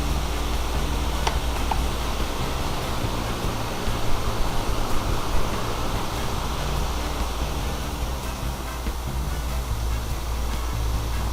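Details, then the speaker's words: Repaired floor fan (bushings fixed after it hummed and would not turn), running in second mode while oscillating: steady rush of air over a low motor hum with no grinding. Runs smoothly after the repair. "он ездит в разные стороны дует и все отлично и так далее"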